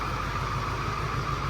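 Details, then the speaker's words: 2002 Ford F250 with 7.3 Power Stroke diesel, rough idle with uneven loping beat, a miss felt in the steering wheel and heavy smoke; a dead injector is causing the miss. "But you probably can't tell it. You can feel it in the steering wheel. It's got a miss."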